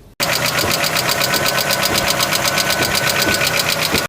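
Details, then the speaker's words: Car engine: quick, even light ticking about four per second over the engine hum. Valve tapping from increased valve clearance due to valvetrain wear; it may quiet or disappear as the engine warms. "клапанов чуть ли не самый частый не правильный звук проще всего его заметите на холодном моторе сразу после пуска дело чаще всего в возросшим тепловом зазоры в клапанном механизме"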